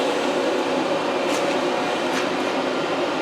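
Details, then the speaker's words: Diesel air heater test-run indoors with exhaust piped outside, about 2 minutes after switch-on as the fuel pump starts: steady, even air rush with constant mid-pitched hum, no rattles or surging; blower at full speed, about 23 m/s airflow. "Right, we're about 2 minutes in and the pump has just started. Now you can hear, now it's really pulling up speed now."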